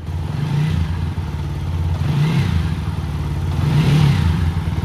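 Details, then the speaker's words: TVS Apache RTR 200 4V BS6 (2021) at 16,300 km, after warranty engine rebuild for tappet noise and third-gear whine: even single-cylinder idle, short blips rise and settle cleanly, earlier mechanical noise gone; healthy. "Sound भी change हो चुका है गाड़ी का अच्छा खास change हुआ है"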